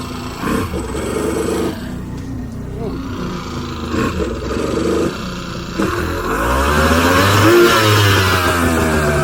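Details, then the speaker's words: Two-stroke jet ski, first running on premix, on a water hose out of water: rough clanking grind rises with revs from the pump end whenever revved; owner suspects the impeller, unconfirmed. "i don't know what's wrong with it it's like whenever i rev it up it does that so we're gonna have to figure out what that is"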